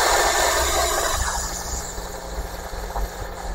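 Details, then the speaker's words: MJX Hypergo 14304 VW Polo-licensed RC rally car with a small brushless motor, at full throttle: steady high whir over a low hum, holding even; normal full-speed run. "Ini untuk full speed-nya nih, Teman-teman."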